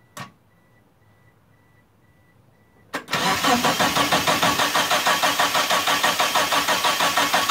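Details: Turbo Eclipse GST, first start attempt after about 9 years off, fresh fuel: two key-on chimes, then steady cranking at about three turns a second that never fires. No fuel pump prime heard; scan points to the fuel pump, bad or faulty wiring. Crank no-start.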